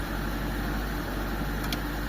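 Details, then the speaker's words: Mitsubishi Lancer "pizza" 4G13 carbureted petrol engine idling fast and steady with the air conditioning on; the idle is abnormally high from a faulty carburetor, and the oil warning stays on (suspected sending unit or oil pump). "kasi sobrang taas ng menor niya mga bossing."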